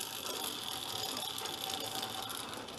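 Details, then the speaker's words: Free 13 hp small engine on a go-kart-frame half-scale VW dune buggy, revving after a carb squirt; fast sharp metallic ratcheting chatter over the run from a loose, misaligned clutch sprocket floating out of position. "think our clutches up sounds like it got misaligned a little too yeah the sprocket this needs to go this way a little or this has to come out and yeah it's loose that's why it's still floating down there"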